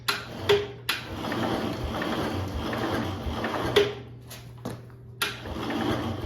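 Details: 1971 IH Cub Cadet 126 garden tractor seemingly unused for decades, battery cables just attached: starter grinds the engine over in short, slow, labouring bursts with clicks between tries, never catching.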